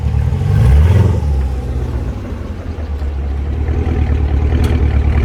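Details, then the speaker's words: Fifth-gen Camaro revving and pulling away: sharp clicks from the rear axle/wheel area under load, worsening over 2–3 months and multiple under hard acceleration. Source not found; owner suspects the wheel and axle assembly. "so as you guys can see or as you can hear doesn't sound good and it's definitely something that i'm gonna have to address very soon"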